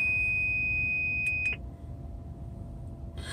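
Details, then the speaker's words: Prime Inc tanker truck cab, anti-collision braking system demo: steady high-pitched electronic beeping that cuts into quick bursts as the display shows two yellow LEDs and then imminent collision, following distance far too close to the vehicle ahead. "you might hear that beeping in the background so now the second is two yellow leds so this is you're getting awfully close"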